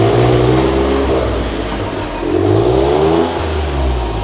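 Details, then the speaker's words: Smart Brabus repaired after over a year broken down, in first gear with wheels turning: revs rise and fall smoothly, no grinding or clunks; gearbox works. "Bon ben la boîte marche. La boîte a l'air de fonctionner hein."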